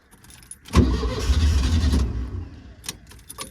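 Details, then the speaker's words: Air-cooled VW (the Wizard): coughs into life on the fuel left in the carb for about a second, then dies and won't keep running; owner suspects it is out of fuel after being driven until dry. "I don't reckon it's no fuel. We must have drove it until it was dry."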